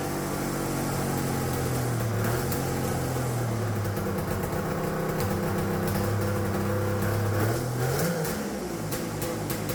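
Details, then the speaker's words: Turbocharged two-stroke triple on custom EFI (Spartan 2.0 ECU), no water in it, after fixing a vacuum leak: revs hold steady while rapid popping cuts, about four a second, break the exhaust note; two-step launch limiter working. "all right we don't got any water in it let's not blow it up right away that sounded freaking sweet"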